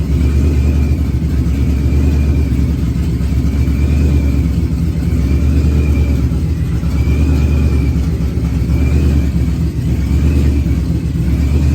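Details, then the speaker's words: Procharged Ford Coyote V8 first fire-up on external fuel pump, closed loop off at idle due to O2 sensor near pipe end: deep, even rumble with faint blower whine, no misses; normal running. "okay well it seems like it's running good um so one of the problems we're having here is the oxygen sensor is really close to the end of the pipe there"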